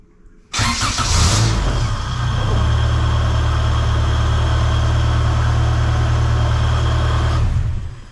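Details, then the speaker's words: 97-ish Acura Integra GSR, unknown build, after a new ignition coil replaced the failed one; brief crank, catches at once, settles into a steady even idle, starting and running normally. "get one if your car's not starting and then it'll fire up like this one"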